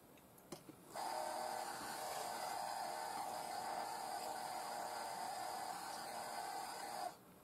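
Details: Original Sinclair ZX Spectrum microdrive (drive 2) with a real tape cartridge, loading a business cartridge that was written from an MDR file: a steady high motor whir for about six seconds, then a clean stop. Normal loading.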